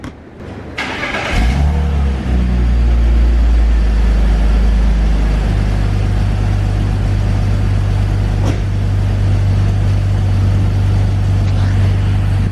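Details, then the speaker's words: 2001 BMW E46 330i wagon after replacing clogged, broken OEM headers/cats with aftermarket catless headers and new manifold gaskets: engine starts and settles into a steady deep drone, no rattle or exhaust leaks. "it's not rattling at all with the whole exhaust hitting the transmission anything like that everything seems fine there's no more exhaust leaks"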